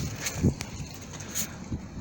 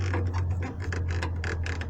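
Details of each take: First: 2011 Jeep Cherokee/Liberty KK, after repairing creaking rear stabilizer bushings: pushing down on the rear gives only soft dull thuds with no creak or squeak. Quiet stabilizer bushings. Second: 2011 Jeep Cherokee/Liberty KK rear stabilizer bar: quick dry ratcheting creaks, several per second, as the bar rotates in its bushings; anti-roll bar bushing creak.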